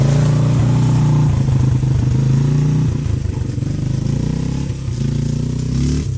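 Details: 1997 Honda XR200R single-cylinder found in a barn, on non-ethanol 90-octane fuel after sealing a leaking petcock O-ring with gasket maker: catches and runs on a steady low thump, picking up cleanly on light revs with no misses; running healthy.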